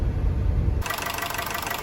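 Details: 2012 Honda City with factory CNG, after gas injector cleaning: low, even idle hum with a steady beat. The earlier heavy shaking, exhaust noise and lack of power are gone. Normal idle.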